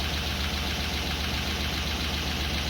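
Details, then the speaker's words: Land Rover Discovery 2 V8, freshly rebuilt with new tappets and rocker shafts and after tappet preload and rocker post shimming: steady idle with a light, fast tapping and rattle over the rumble. Owner believes it is valve gear, unconfirmed. "it's definitely valve gear at this point i thought it was definitely to do the top end of the engine"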